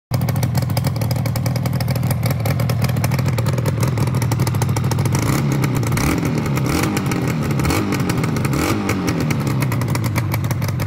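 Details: Yamaha RD250LC two-stroke after full rebuild of crank and top end with new old stock carbs; crisp even crackle settling to a steady run, then revving cleanly with no knocks or misfires.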